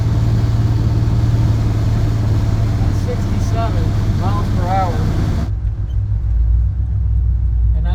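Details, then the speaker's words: 1984 Chevy Silverado on a test drive after a timing adjustment for a slight miss, some hesitation still felt, about a quarter pedal: steady, deep drone under road rumble with no stumble or skip; smooth running. "So that's about a quarter a pedal. Running pretty smooth."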